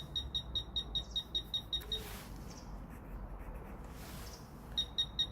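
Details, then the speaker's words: Fisher F-Pulse Air pinpointer being tested: crisp high-pitched beeps at about two per second, pausing and resuming, getting faster as the target gets closer; normal target detection. "6e vous entendez les bips devient de plus en plus rapidement"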